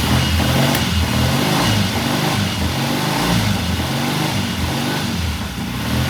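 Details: 1969 Triumph TR6 vintage British motorcycle, pilot jet cleaned and pilot air screw turned in half a turn for a richer starting circuit; after a cold start it idles warm with an even low thump, about four beats a second, steady without stumbles or hunting: normal warm idle.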